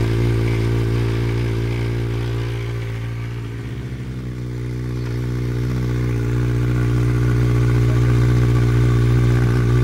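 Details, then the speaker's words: Honda CB700 Nighthawk S project bike starting on its own newly charged battery, running about a minute before fuel ran out: even idle dips briefly then settles to steady tick-over without misfires; normal idle. "as you would have seen earlier the bike now starts up off its own uh battery which is fantastic"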